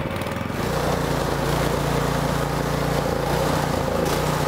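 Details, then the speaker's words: Toro snowblower overhead-valve engine running rough before repair, revving up and down repeatedly. The surging is from a dirty carburetor attributed to poor fuel, and leaving the choke partly on can reduce it. "so you can hear the surging you could even see the light go up and down a bit and that's because the engine was actually revving up and down because of the surging"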